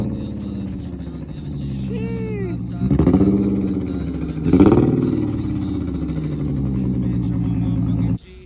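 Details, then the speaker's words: Nissan 350Z after the failed fuel pump assembly was replaced, having sat about two and a half months: engine now starts and runs steadily, two quick throttle blips rising and settling cleanly, even and healthy. Normal running after repair. "all right so the problem was the fuel pump assembly wasn't working so that was helped out now it turns on perfectly"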